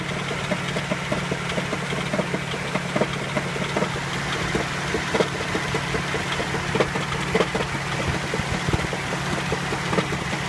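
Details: Nissan Sunny engine at idle: sharp uneven knocks about a hundred times a minute over the engine hum; internal engine knock, cause undetermined.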